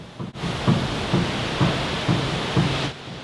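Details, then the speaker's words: 1967 Mustang Fastback front wheel rocked up and down during a steering inspection: five dull clunks, the upper ball joint moving inside its housing, probably worn out. "basically the top ball joint is moving inside the housing for the ball joint so maybe some grease would help it but at this point it's probably wore out"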